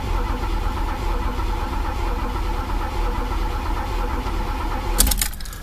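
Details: Chevy El Camino sat about six weeks, clutch safety switch bypassed, gas gauge broken reading full; starter churns steadily for several seconds and it never catches as the tank is empty: crank no start, out of fuel.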